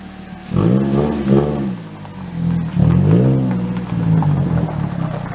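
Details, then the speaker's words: Car on throttle blips: a loud, blatty, hollow drone rising and falling with revs, like a fart can or cherry bomb exhaust; the garage confirmed the muffler had failed. "you guys have to listen to this car it sounds like there's a fart can or a cherry bomb on the back whatever they're calling them these days"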